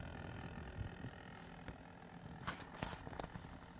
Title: Lian Li Galahad II Trinity Performance - Pump Rattle / noise issues